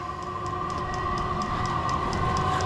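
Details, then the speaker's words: Chinese 12V diesel air heater, 5kW or 8kW, first startup outdoors: steady fan whine over soft rapid ticking as the fuel pump clicks diesel through, exhaust beginning to flow; normal startup. "ere in the back now it's clicking moving some fuel the diesel pushing through there got some exhaust coming out our exhaust pipe"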